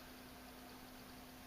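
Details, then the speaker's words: Magnetic levitation floating light-bulb lamp: faint, steady low hum under a quiet hiss from the base's electromagnet holding the bulb; audible in a silent room, maybe five or six feet away. "So, yeah, it does make an audible noise. It's very faint. In an office environment with some extra noise around, you probably wouldn't hear that. In a silent house, I can hear it."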